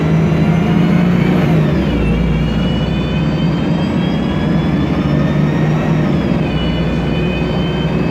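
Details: MAN Lion's Classic CNG city bus, MAN E2876 LUH03 EEV turbo engine, Voith DIWA 864.3 four-speed automatic: steady engine drone with a whine rising then falling with road speed; noisy Voith gearbox.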